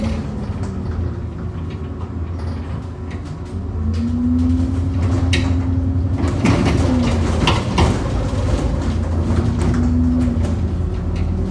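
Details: Bus 10662 (YX66 WDE) in service: engine drone with a cluster of loud sharp clunks as it crosses potholes; knocking of unknown source, possibly suspension or body.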